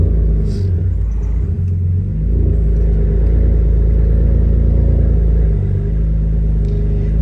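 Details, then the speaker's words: BMW E82 1 Series cold start after replacing both coil packs and clearing misfire codes (cylinders 1 and 3): loud, deep, steady idle with even beat, no tapping, knocking or misfire, healthier than before. "I wanted y'all to hear it for the first time on the cold start. I mean, it sounds a lot um healthier than yesterday misfire. Yeah, it's not misfireing right now, but yeah."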